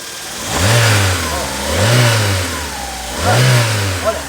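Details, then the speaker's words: VW EA111 Power 1.0/1.6 engine after repair of a punching knock near the intake manifold: three clean throttle blips rise and fall smoothly with no knock, and the earlier noise is gone. "pode ir aí barulho suiu gente aí"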